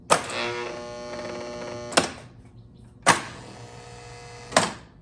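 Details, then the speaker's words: 1976 Bally Flip Flop electromechanical pinball: sharp clacks about a second apart with buzzy hum between; noisy flippers, one weaker than the other, possibly needing flipper rebuild or switch tune-up. "I also noticed that the flippers are quite noisy."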